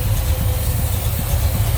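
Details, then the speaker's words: 1966 Chevrolet Chevelle SS tribute, 454 big-block with just-rebuilt Holley 750 carb, new plugs, HEI ignition, headers, turbo 350 trans, hood open: deep, steady idle with slight cam lope, no knocks or ticks; nice smooth-running engine, normal idle. "HEI ignition, headers. Nice, smooth running engine."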